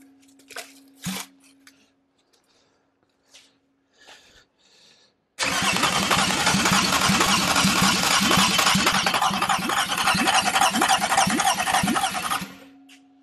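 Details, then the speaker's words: Toyota 2GR-FE V6 bench-fired on floor with Sienna ECU for MR2 swap: starter cranks steadily about seven seconds with even compression pulses and no weak strokes before fuel is connected; normal cranking compression. "before we go any further let's make sure it cranks and sounds like it's got compression"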